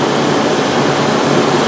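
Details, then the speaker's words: 1997 Mercury Grand Marquis idling with the battery disconnected, running on the alternator; the owner's complaint is intermittent speaker buzzing and stalling. Constant smooth running roar with no stumbling, buzzing or dropouts; normal idle. "once again, the battery's unplugged now. The car is running."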